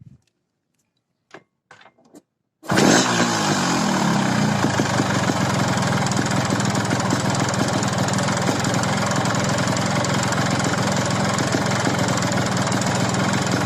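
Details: Yamaha RX King engine block just rebored oversize with new piston, pin, bearing and rings, yet idle has a rough steady ticking about three or four times a second: piston knocking from badly bored cylinder.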